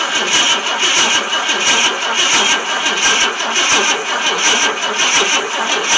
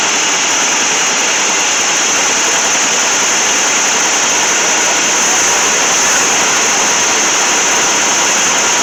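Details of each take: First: 1966 Ford Thunderbird, FE 390 not started in 13 years, new Street Demon carburetor, primed with two-stroke gas: long steady cranking that never fires; spark at the points comes and goes. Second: 1966 Ford Thunderbird 390 FE V8, first run in about 13 years after points and ignition work and new carburetor: steady, even roar with no knocks, skips or surges; runs smoothly, exhaust looks clean.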